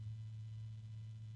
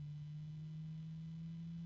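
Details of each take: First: Asia Horse fan at raised speed: a steady deep hum that grows louder, with the unit shaking in the hand. Owner suspects a failing bearing; cause unconfirmed. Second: Asia Horse PC case fan: quiet, smooth, constant hum with no rattle or vibration, unlike the other fan of the batch, whose noise suggested a poor bearing.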